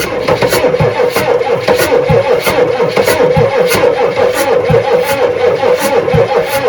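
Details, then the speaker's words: 1986 Ford F350 6.9 IDI diesel, sat on a farm, started with ether doses, no oil pressure on the gauge: labouring slow cranking, about one and a half compression beats a second, never catching. "Cranking a little slow. It wants to live."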